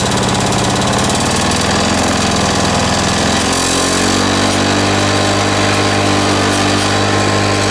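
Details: Two-stroke lawn mower with homemade big-end bearing shell, just reassembled: runs rough and uneven, settling then wandering; a leak, heard as a squeak, is suspected, cause not pinned down.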